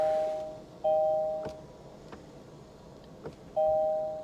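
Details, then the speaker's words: Flood-damaged 2021 Kia K5 Turbo that sat over a year at a salvage yard: pressing start brings only dash chimes, with no click, whir or cranking, even in neutral. No crank. "i hear nothing not even a click from the engine"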